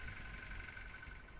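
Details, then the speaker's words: 2000 Nissan Micra K11 with air conditioning just after start-up: steady high-pitched squeal over a low idle rumble as the alternator belt slips; multimeter climbs to about 18 volts, alternator overcharging. "but you can immediately hear the belts slip in there you can also see the multimeter he's just going upwards to around 18 volts or so"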